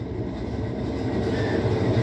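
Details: Whirlpool 17 kg washing machine that filled but stopped washing, in automatic test mode after actuator shift: steady low rumble building evenly with no knocks or scraping, healthy spin cycle.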